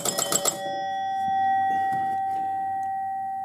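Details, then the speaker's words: 1971 Gottlieb Home Run pinball machine: bell chimes ring extra scores on a home run (sounded like 2 runs), a quick cluster of strikes then one fading chime; still being worked on. "Sounded like I got 2 runs. Whatever. We're still working on that."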